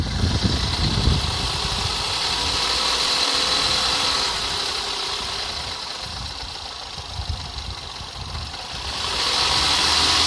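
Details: Skoda Fabia RS engine at steady idle: even, quick ticking knock about three or four a second over a loud hiss; knock inside the engine, cause unknown.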